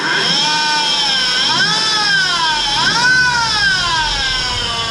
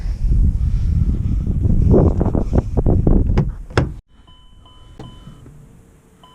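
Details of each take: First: Car bought to flip, new alternator already fitted: loud piercing squeal from the belt area rising and falling with revs, worse with rpm; worn belt idler pulley bearing. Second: Car bought to flip, after fixing a terrible belt whining noise, started with a battery charger connected. Cranks a few seconds, catches and settles into an even idle with no belt whine; normal start.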